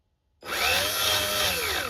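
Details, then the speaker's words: 3D-printed custom RC car differential test rig run at full throttle with no load: sudden high gear whine spinning up and sagging with a rough gritty edge; something broke, owner hopes the spur gear rather than the differential — gear grinding. "Right, something's broken again. Something has broken."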